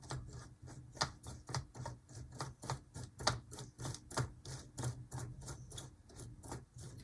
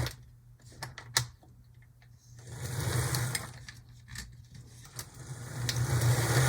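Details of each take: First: HO scale Athearn Blue Box B&O EMD F7A / ALCO PB-1 model locomotive after contact soldering: the motor hums with sharp repeating ticks and squeaks from the dry drive, treated with light oil. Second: HO Athearn Blue Box B&O EMD F7A model locomotive, first run on track after sitting: steady low motor hum with light buzzing whir over loose clicks, smooth and even; running normally, like new from the box.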